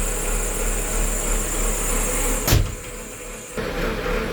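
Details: Bull 4WD JCB-type loader diesel started after transmission fitting and a hydraulic pump seal and ring rebuild: a steady, even diesel rumble with no knocks or rattles and one brief bump mid-clip; a normal idle.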